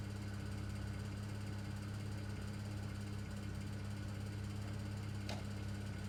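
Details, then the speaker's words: 2009 BMW 335i N54, cold start after upper radiator hose replacement: quiet idle with steady low hum but an uneven pulse, about three stumbles a second; misfire, unrelated to the hose job. "well guys in typical in 54 fashion it's now misfiring completely unrelated issue"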